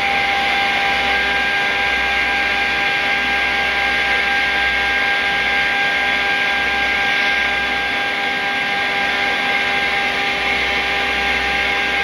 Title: YORK CHILLER YCIV COMPRESSOR ABNORMAL SOUND! SCREW COMPRESSOR! YORK AIR COOLED CHILLER